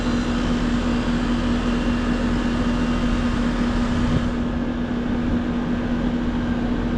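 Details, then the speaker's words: Condenser fan motor on a home AC unit whose owner kept resetting the power, after a capacitor check (rated 45.5 µF, read 45.96 and 5.28) and power restored: steady even hum and smooth fan rush with no knocks. It sounds much better; amp draw is 1.2 against a 1.4 rating, so the motor is possibly not burned up. "Sounds much better. Let's check amp draw on that condenser fan motor."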